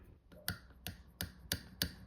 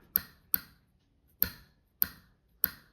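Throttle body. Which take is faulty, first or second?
first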